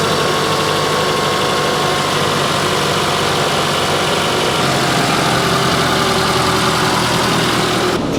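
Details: Toyota RAV4 (2013–2018) idling after new serpentine belt and replacement of a worn-out tensioner: steady, even idle with smooth belt hum and no chirp, slap or rattle; accessory drive sounds healthy.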